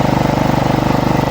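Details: Small lawn mower engine at full throttle, speed rising and falling in a quick regular pulse, hunting; blowing air into the fuel feed steadies it.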